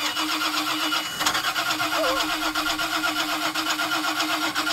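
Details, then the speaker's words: 2000 Mariah boat, 7.4 L 454 MPI MerCruiser V8, after hydrolock, water drained past rings into oil pan: uneven cranking churn never catching; all spark plugs rusted, weak spark; fixed by new plugs and oil change. "All the spark plugs have rusted, so there's a bad spark, not enough to let the engine run."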